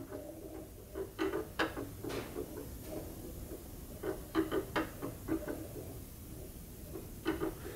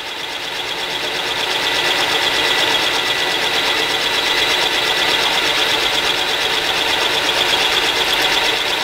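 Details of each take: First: Milling machine setup duplicating the hole pattern between new and repaired lathe spindle gears: light, irregular scraping ticks in short bursts as the cutter flutes rub the workpiece during alignment. Tool rubbing on workpiece. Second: Mill cutting hole pattern into a new lathe spindle gear with a center-cutting end mill, hand-fed before switching to auto feed: steady, even high cutting hiss with light regular chatter, no squeal or grab; smooth milling cut.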